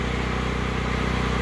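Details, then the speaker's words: Predator 8750 generator in a shed, over 2 years old, on an hour-long exercise run under house load to burn fuel: smooth, steady low hum with an even beat, no hunting or stumbling, not very noisy; normal running. "it's doing just fine. It's not even noisy. It's not very noisy at all."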